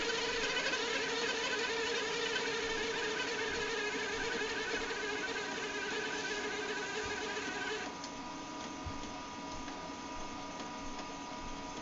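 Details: HP LaserJet 2200DN with duplexer printing a demo page: thin steady high-pitched whine over feed noise from the scanner motor, followed by fatal error; common scanner motor squeal.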